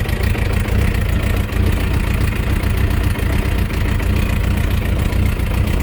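Low, uneven idle with a dull knock coming through the rumble about twice a second; the source can't be told by ear.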